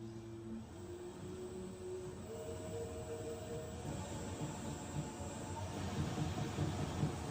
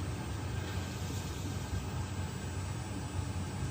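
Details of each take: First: Sunmix spiral dough mixer, ex-demo, manual mode 50 rpm with empty bowl: smooth hum then soft rhythmic clunk, heard through the bowl, from rubber bowl roller flat-spotted after standing; fixed by warming bowl and roller. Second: Sunmix spiral dough mixer, empty bowl, manual mode 50 rpm, after heat-gunning a flat-spotted rubber bowl roller that had clunked: steady low even hum, clunk gone, left running while bowl and rollers cool; normal smooth running.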